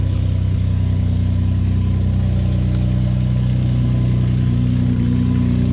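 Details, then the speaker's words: Ford F-150 3.5 EcoBoost cold start: deep drone with loose uneven rattle about four beats a second; owner suspects timing chain, trying a cheaper fix first; cold start engine rattle. "all right guys so as you can see the truck is sounding awful upon cold start and that was actually a weak one guys typically that thing is slapping so hard"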